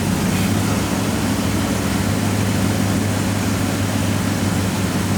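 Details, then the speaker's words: 2009 Maserati Quattroporte V8 after fitting eight new coil packs and eight spark plugs to cure a misfire; deep steady even idle, no stumbles, sounds smoother, scanner shows no misfires; normal idle. "I don't know I just don't know that sounds smoother let's plug it in come on then"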